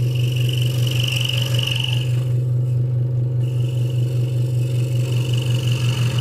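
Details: Hegner Multicut 2S scroll saw cutting wood after the blade protector was moved back to stop a rattle: a strong, steady low hum with fast, even blade chatter and no loose rattle; the saw is cutting normally.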